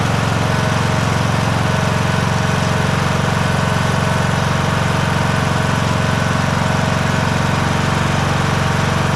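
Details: John Deere S100 mower with 17.5hp Briggs and Stratton Intek engine, started after annual service (oil change, new fuel filter, spark plug, air filter); steady, even low thrum at constant speed, no misses or knocks, normal running.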